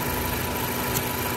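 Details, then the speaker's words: Ford Focus with dual-clutch transmission, 150,000 miles, transmission shudder and lean condition, at idle: steady airy hiss from the disconnected purge valve hose sucking air; leaking purge valve causing a vacuum leak, confirmed as the issue. "Alright, you can probably hear that hissing. That's leaking purge valve. That's 100% the issue."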